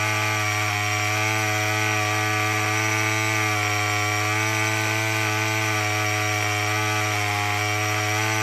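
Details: Murray M2510 two-stroke string trimmer after no-start repair; steady, even high-pitched buzz holding constant speed without stumbling or surging; running normally.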